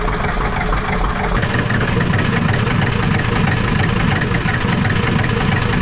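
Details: Ford 7.3 IDI diesel on a revival, just started with factory glow plugs and possible air in the fuel, idling on its own with a deep, fairly steady, gravelly clatter and no stalling; normal idle.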